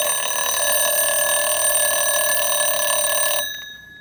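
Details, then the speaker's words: Jaeger LeCoultre recital 24-hour alarm clock with 8-day movement, fully wound, time advanced to trigger the alarm. Bright, rapid bell clatter for about three and a half seconds, then a clean cutoff: alarm works normally. "And what would happen with this mechanism is the alarm would only go off every 24 hours, where most alarm clocks would ring every 12 hours."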